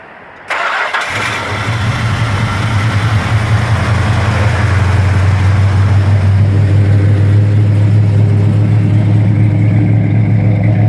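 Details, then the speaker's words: 1971 Plymouth Roadrunner V-code 440 six-pack, original N96 Air Grabber, cold start after sitting in a 55–60°F showroom. Brief crank, then a deep, even rumbling idle with no pinging or knocking. Normal cold start and idle. "Engine sounds nice, don't hear any unusual pinging, no unusual knocking."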